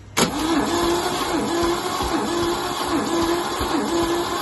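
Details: MGC 3.0 straight six garaged about 33 years, compression test cranking: steady starter whirr with even, regular compression pulses and no skipped beats; healthy compression, about 150 psi across the board, around 140 on number 1.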